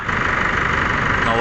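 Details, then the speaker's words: 2016 Chevrolet Trailblazer diesel at idle after repair of the rag-stuffed fan clutch and alternator pulley, fan blade refitted: even idle and smooth hum with no flapping, scraping or squeal; the front noise is gone. "na yung tunog. So yun lang naman, yung clutch pa na nilagyan ng basahan."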